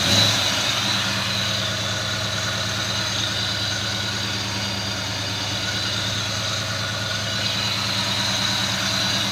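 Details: 1969 Ford Mustang Fastback with newer rebuilt 302 V8, C4 automatic, serpentine with power steering: even, settled idle with a steady low beat and mild hiss; healthy and smooth.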